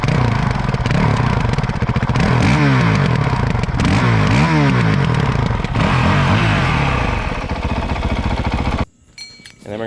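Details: Motorcycle started in neutral after gas tank work; fires up and settles into a steady, even idle thump with throttle blips, then cuts off; normal idle.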